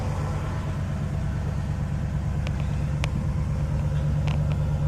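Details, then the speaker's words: 1960 Pontiac Catalina barn-find V8, cold start on fast idle, generator charging: steady even low rumble with no misses or knocks; sounds healthy. "Generator showing a little bit of a charge. Cold lights on. It's on a little bit of the fast idle because it's cold."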